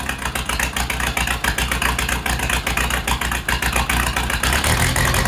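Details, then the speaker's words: Case 207D dozer diesel at first start after an engine rebuild, no coolant in yet, not fully reassembled: choppy, slightly irregular idle with rattly top end; owner thinks fueling is a little off and needs tuning. "sounds like my fuel might be just a little bit off so we'll find tun that"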